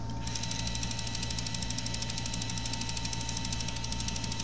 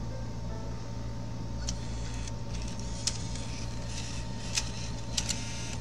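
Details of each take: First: Bose Wave Radio 3 CD changer with a stuck CD: steady light clicking, about three per second, as it fails to take the disc; CD changer gear with one stripped tooth slipping. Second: Bose Wave radio 3-CD changer after repair of a gear missing one tooth: soft steady hum under music with scattered light mechanism clicks as discs change; clicking noise gone, plays customer discs normally.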